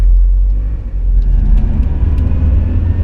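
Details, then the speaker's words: Mazda MX5 cabin while driving after fitting I.L Motorsport engine mounts, poly bushes, wishbones and subframe; steady low engine and road rumble, no knocks; much better than old mounts; normal cabin noise. "This isn't that bad, I don't think. It could be way worse. Compared to the old one, this is much better."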